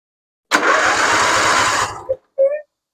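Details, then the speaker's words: Husqvarna RZ46i zero-turn mower revived after sitting for years, no fuel reaching engine, fuel line possibly cracked: starter turns engine slowly, about three beats a second, fading without firing; slow cranking from low battery. "Yep. Battery's getting low."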